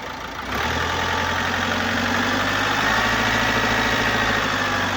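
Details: 2018 Opel Astra K, 1.6L (1598cc) B16DTH diesel, 81kW/110PS, 128,814 km. Starts and settles into a steady idle with a faint airy hiss, caused by a leak in the intake system and defective swirl flaps.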